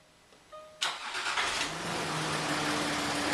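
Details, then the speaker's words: Land Rover Discovery 3/4 3.0 TDV6 after diesel fuel filter (LR009705) change, self-bleeding: brief crank, then catches at once and settles to steady, even idle with no stumbling; no leaks, fuel system primed fine. "That seems to be the uh diesel fuel filter change done with with no problems. It doesn't seem too tricky."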